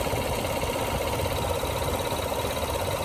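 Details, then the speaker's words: 2019 GMC Canyon, nearly new with 18,000 miles, at idle: a fast, light valve-like ticking of about two per second over the engine hum, sometimes louder. The dealer says it's fine, some kind of control valve; the cause is unconfirmed. "And I don't know why you hear that sound. Like a valve. If anybody knows what's going on, the dealer told me that it's fine. It's some kind of control valve or something. but actually it makes so much noise."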